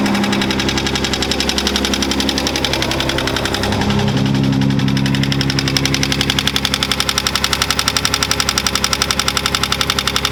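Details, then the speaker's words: Datsun 280Z, fuel pump on a toggle switch, low on gas, holds a fast, even idle around 1500 rpm with a steady pulse and no dip; idling too high, owner thinks from a vacuum leak, not confirmed. "So I do have a vacuum leak, I think, and before that it did idle pretty high. So I was trying to figure out what's going on with that. Right now it's idling at like 1500."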